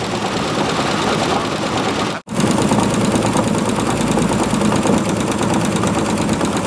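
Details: 1948 Chevy pickup abandoned for decades, revived and running warm with oil not reaching the top end; rough idle with a steady thump at firing rate, felt through the oil pan and block, with a rod knock suspected but unconfirmed.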